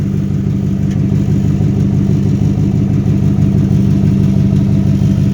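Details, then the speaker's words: 2004 Dodge Durango idling: loud, deep, blatty steady drone with no tinny rasp; muffler underneath is split with holes in the back, causing an exhaust leak and the loud noise. "but if you hear this muffler's blowed out under here the reason why it's loud"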